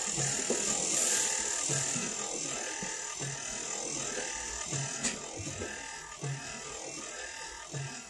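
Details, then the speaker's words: 1955 Chevy Nomad with a factory electric wiper motor replacing the vacuum unit, blades off: steady electric whir with soft, even linkage thumps about four per second and no binding or grinding; normal wiper motor operation. "motor works good don't it you can hear it working and uh mission's moving just I don't have the blades on it right now"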